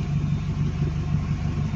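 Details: Car just after start with voltage stabilizer and big 3 ground upgrade: steady low rumble at idle, even beat, no knocks or whine; alternator charging, voltmeter reading 14 V early on, normal idle.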